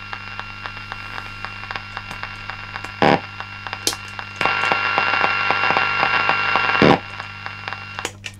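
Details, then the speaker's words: Guitar pedalboard, Line 6 unit now on a supply with enough current but non-isolated power: steady low mains hum and whine with hiss that surges louder when a drive pedal is switched on. "so again this is a slightly different aspect of power so now it's got enough current and that's fine it's it's drawing what it needs and it's working but it's pretty noisy right"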